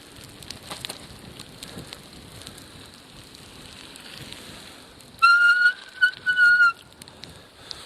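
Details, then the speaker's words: Bicycle front brakes on snowy winter commute: wind and snow crunch, then high thin squeal in bursts under braking; brakes readjusted many times, still squeak but work. "and you'll hear that squeaking noise that's my my front brakes which I readjusted many times and I can't seem to get them to not squeak"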